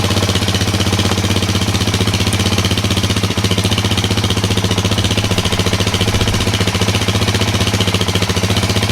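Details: 2003 Kawasaki KFX400 quad started after 6–8 months in storage and carburetor cleaning of sludge: crisp, even single-cylinder thumping at a steady fast beat with no stumbling or misfires; runs cleanly.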